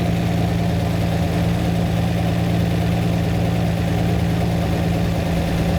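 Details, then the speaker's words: Lamborghini V12 at idle while a running-rich carburettor (about 6-7:1 instead of 14:1) is set by ear. The idle tone drops as the mixture screw is adjusted; the popping is the cylinder trying to work. "I have to listen to the tone of the engine to hear every Screw As I adjust it you hear the Tone's gone down that that popping is the cylinder trying to work"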